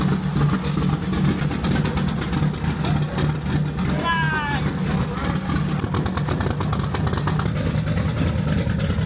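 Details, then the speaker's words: Engine with a low, steady drone and a raspy, rapid puffing tick from an exhaust leak. "You hear that exhaust leak? That's what happens when you work on cars. You never fix your own."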